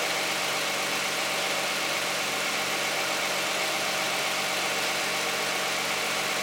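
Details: Cold start of a 2010 Toyota Camry 3.5 V6 with 93,000 miles on Pennzoil Ultra 5W-30 synthetic and a Wix filter: smooth, even idle with a steady whirr and light hiss, no knocks, ticks or misses; owner finds it pretty quiet.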